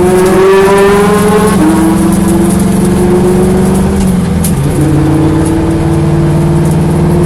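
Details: Corvette V8 with a loud idle, an uneven, stumbling beat and a wandering idle speed; a misfire at idle.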